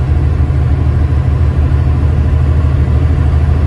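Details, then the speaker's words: Diesel truck cruising around 70 mph, not pushed hard, after a leak sound thought to be DPF/regen related and parts were replaced: deep, steady drone heard from the cab, even, no whistles, knocks or surging, boost normal; normal running. "Truck runs fine, it's pulling fine, the boost gauge is fine, so everything seems to be running normal again."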